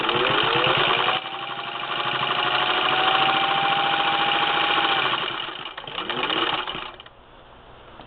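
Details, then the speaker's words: 1952 Singer Model 15-91 sewing machine stitching fast through a quilting layer of two fabric pieces with batting: fast, even mechanical chatter and a powerful steady motor hum that rises then eases off, healthy stitching. "you can hear the power and the motor on this i mean you can just hear the power and the motor it just goes and this is your typical quilting layer"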